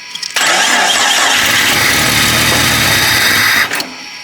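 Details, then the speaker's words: Jeep Cherokee 4.0 after a four-month rebuild, cranking for its first start on a hooked-up battery with the idle sensor removed: steady whirring crank with no firing. Cranks but won't start because there is no fuel. "Oh, we ain't got no fuel, dummy."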